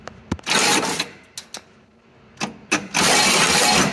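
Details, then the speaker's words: Clark C500 forklift with D155-G engine, cranked twice: harsh clattering scrape with sharp cracks. The water pump bearing has failed, letting the fan wobble and strike the radiator; the pump is to be replaced. "It was making a little bit of noise and then silence, and then the fan decided to start eating the radiator. So we're gonna give it a crank real quick so you can hear it."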